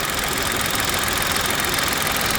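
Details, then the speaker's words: Three-cylinder engine at idle: smooth and steady with a light, fast, even ticking from the three injectors, which is normal; the timing chain is confirmed in place, and a separate rattle is still present. "It sounds nice. It's nice and smooth. You can hear those little injectors ticking."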